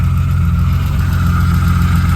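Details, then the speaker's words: BMW E36 2.3 straight-six with an aluminium flywheel and 190,000 miles on the clock, revived after years standing. Warming toward temperature with good fuel and no oil light, it holds a deep, even idle with no knocks or ticks. "There she's running. She is running. She done 190,000 mi according to the clock. But she is idling."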